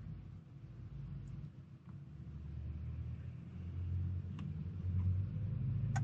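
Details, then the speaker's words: 2002 Ford F250 7.3 Powerstroke, key on for about 30 seconds to purge air: low steady electric hum then a light click as the fuel lift pump primes the fuel bowl and shuts off normally. "there you can hear that little click that is the um that is the the fuel bowl the the that's it getting primed up"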